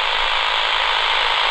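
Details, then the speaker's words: Flymo 1200R robot mower boundary wire cut by contractors, traced with a cheap AM radio; strong steady rasping buzz over radio hiss near the cable, signal fading where the break is. "here you still hear that buzzing it's going to be around here somewhere that we lose the sound"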